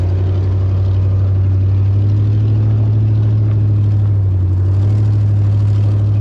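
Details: WJ Jeep Grand Cherokee driven slowly around a yard before the exhaust leak was fixed: a deep, loud rumble with an uneven puffing pulse about four times a second over the engine note, typical of an exhaust leak.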